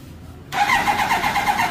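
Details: Kawasaki Ninja ZX-9R, battery was low and fully recharged with a charger, choke on: silence, then a quick catch into a brisk, even, high-pitched four-cylinder idle with regular pulses; starts cleanly and runs healthy.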